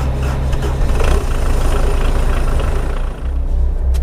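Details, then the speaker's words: 304 machine that always cranks slowly yet always starts: deep, heavy turning-over rumble at a slow, labored pace that never speeds up, sounding as if it won't start. "tell you what, I lose money every time banking on whether this thing is going to start or not, because it sounds like it don't have a chance to start."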